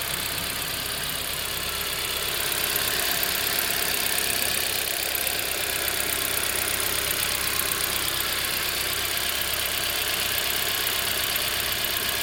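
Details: EN07 engine at idle: sharp, fast ticking over a quiet, even idle that started suddenly; identified as fuel injector noise, and the injector was later replaced.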